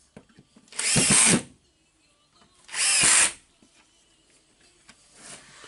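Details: Makita BHP453 drill tested after a gear assembly spring repair (clutch previously slipping): two short even bursts of high whine that spin up and stop cleanly with no grinding; normal drill running.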